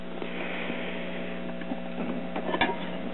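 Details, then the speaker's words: American Foundation for the Blind AC-50 talking book record player (owner guesses 1950), previously sloppily repaired, volume turned up: steady low buzzy hum with faint ticks; mains hum, owner suspects a bad ground, not confirmed. "this thing works but it has some issues that I need to deal with mainly mainly due to hum you turn the volume up you can hear the humming sound that it makes like it has a bad ground so I need to address that"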